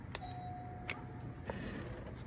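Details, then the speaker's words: Newly installed lighted LED doorbell button from Kent at the rear door, replacing an old rotted one: a clear, even chime rings after each press over a quiet room; the unit has chimes top and bottom, and the doorbell works normally. "it works good. For anyone wondering, this is what the unit is. So it's got chime on the bottom and one on top."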